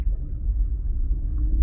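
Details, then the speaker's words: 2004 BMW 325xi 5-speed manual, first gear heavy acceleration on gravel road: deep pulsing thumping rumble, driveline shudder under load from failed hanger bearing and centre universal joint. "under load definitely a driveline view joint hanger bearing problem"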